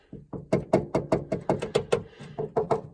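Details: 2019 Mustang GT: knuckle raps on a loose trunk panel give a hollow tinny buzz, the passenger-side rear rattle heard while driving around 1500–3500 rpm; not engine rattle, fixed by padding the panel edge.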